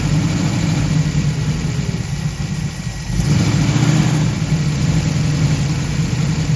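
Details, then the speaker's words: 1969 Camaro SS V8, unstarted for six years, after tightening the intake manifold bolts; it stalls when put in gear: low idle with an uneven, slightly loping beat and small stumbles, slightly better than before. A vacuum leak remains; the manifold gasket may need resealing. "starter donc je pense qu'il fonctionne un peu mieux maintenant que j'ai serré les boulons mais nous il y a toujours une sorte de fuite de vide"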